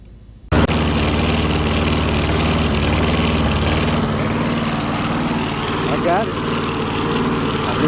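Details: Small single-cylinder lawn mower engine, after carburetor work and priming, catches and settles into a steady, even putter with no stumbling; runs healthy.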